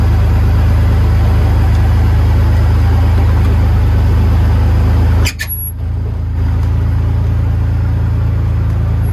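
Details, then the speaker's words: 1951 Ford F1 body on 2001 Ford Ranger V6 chassis: steady even low rumble, no misses or knocks, one brief clunk nearby; healthy normal idle. "Oh man, sounds good."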